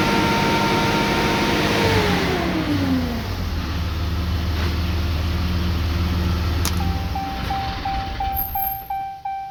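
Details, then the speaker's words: 2013 Ram 3500 6.7L Cummins, coolant 143°, no codes, low-power complaint: heavy airy fan roar at idle rising with rev and lingering; fan clutch locked up all the time. "I don't know if you can pick it up, but I mean, obviously at idle you can hear that fan. Sounds a lot like an electric fan on other engines when they come on."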